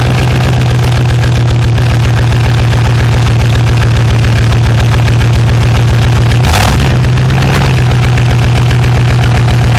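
Steady low idle thrum with a single sharp disturbance around six and a half seconds; an intermittent pop at idle, cause not yet known.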